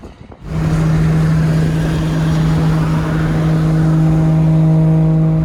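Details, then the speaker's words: Drift car at the track on test day: strong, steady high-pitched whine with overtones above the car noise throughout; rear differential whining. "You can hear the diff whining from here."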